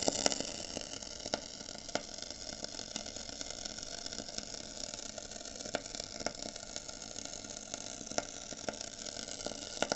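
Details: Koln 80 L water heater with two dry heating elements, after about 10 months of use: steady hissing sizzle with scattered crackles like frying, from under the bottom cover, fading once switched off; soot found inside.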